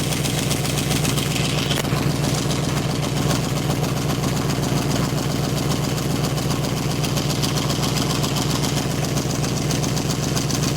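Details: 1995 Chevrolet Caprice V8 at idle: deep rumble with a raspy, puffing chuff from a bad exhaust leak at two spots; some fluid also seen dripping, owner unsure of its source.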